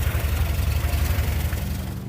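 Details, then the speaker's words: Skoda 120 after an oil change replacing old fuel-diluted oil, running a little while: even, regular low idle beat with no ticking or tapping; much less tappety than before. "wow that sounds so much less tippity ta yeah the old oil it been in there for a while it been uh dileted with fuel with things starting and stuff in and that that sounds so much"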